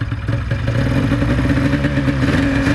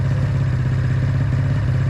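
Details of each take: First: 1996 Ski-Doo Formula SS snowmobile, Rotax 670 twin-cylinder two-stroke, after 10 years in storage and carburetor cleaning: rough first seconds then steady, even run with no misses, idling around 1500-1600 rpm; bogs slightly and didn't take throttle. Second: 1996 Ski-Doo Formula SS, Rotax 670 two-stroke snowmobile, sat 10 years, carbs cleaned: low, uneven idle with a clattery beat that will not throttle up; one carburettor appears freed and the other still stuck, starving it of fuel.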